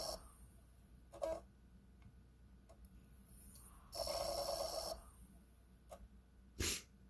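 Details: Xbox 360 Slim disc drive, spacer method tried, magnets fine: brief harsh grinding bursts as the disc spins twice, then goes quiet and shows open tray.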